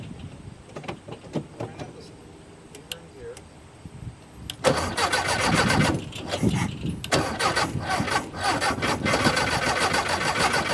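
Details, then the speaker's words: 1972 VW Super Beetle, first start with starting fuel shot down the carb and two-stroke oil in it (blue smoke): cranks and catches at about 4 s, then a steady, slightly lumpy flat-four idle; fuel may not be flowing from a near-empty tank. "it's blue because it's cool because i got two cycle oil in it that sounds pretty damn good"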